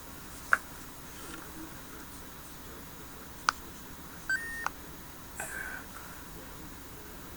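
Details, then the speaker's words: HTC Vive controller (box says 2016) powered on by holding the power button in a quiet room; a couple of faint short high beeps between clicks confirm switch-on: normal power-on beep. "And right there is the power button, so you just hold it down. And it just lights up. It does make a little beep."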